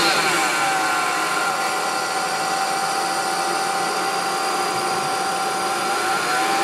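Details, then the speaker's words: BMW E46 325 petrol engine at idle: steady high whine at constant pitch; owner suspects an idler pulley low on the engine front, unconfirmed. "so um just posting this video up cuz I hear a little whining noise coming from my BMW E46 325 and um let me just start it up and show you sounds like a whining noise a"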